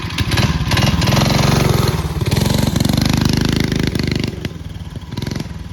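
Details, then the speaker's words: Early-1970s Pacesetter Trailbuck mini bike, small single-cylinder engine, test ride after replacing a failed torque converter and re-setting it for jackshaft use. Pulls cleanly through rising and falling revs with no slipping or bogging, drive now working properly. "Well, as you can see, I've successfully fixed my Pacesetter Trailbuck mini bike. I just had to change up the torque converter a little bit."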